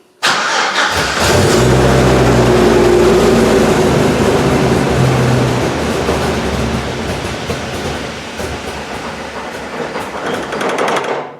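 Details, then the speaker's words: GM Vortec engine: the starter churns steadily for about ten seconds without firing. Fuel pressure climbs to 225 psi and cuts out instead of about 55 psi, so it cranks but won't start because of excessive fuel pressure. "it gets 225 pounds and then cuts out because it shouldn't be or beer it should be routed about 55 so that's the reason why"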